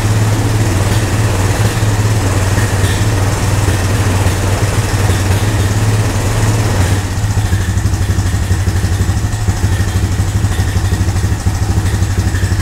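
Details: Old Honda three-wheeler/ATV revived with only fuel after sitting, before first test ride. Steady low single-cylinder thump, even beat, no knocks or misses; normal running, owner thinks idle a little low.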